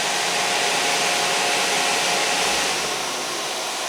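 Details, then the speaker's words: Vulcan WCP-350 washer compactor control panel during factory testing, microphone close inside the panel: thermostat-controlled cooling fan manually switched on runs with a steady even airy rush, no rattle, ticking or whine; normal fan operation. "Going to manually trip your fan on. Move you in closer, hopefully so you can hear that the fan is running. Fan is running."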